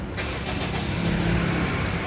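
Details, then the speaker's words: 2003 Honda CR-V after its faulty ECU was repaired and refitted, having failed to start even after fuel pump replacement: cranks briefly, catches at once and settles into a steady, even idle with no misses or knocks. "ตอนนี้สตาร์ทติดแล้วครับนนู่นสาเหตุแม่กล่องเสียนะ"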